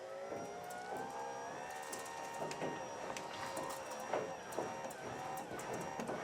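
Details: RollUpDoor by Smart Garage GDO-06 opener while setting the bottom limit: even motor hum running the door down, inching with short stops and clicks near the bottom; healthy drive.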